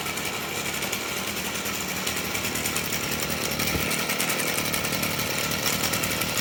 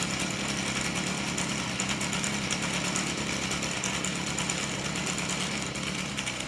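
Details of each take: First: Stihl FS38 trimmer, two-stroke, at idle: thin, steady high squeal over its buzz from a dry clutch drum bushing. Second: Stihl FS38 trimmer at idle after the dry clutch drum bushing was greased to cure an idle squeal: steady, even high-pitched buzz with no squeal left. It runs smoothly.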